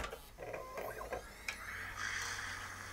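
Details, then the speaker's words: Original Xbox from a recycling centre, error 07 with flashing red/green light before drives were connected; at power-on clicks and whirring rise as DVD drive spins up and hard drive spins, normal optical drive spin-up, though disc may struggle to load. "I definitely heard the DVD drive spin up and the hard drive is spinning."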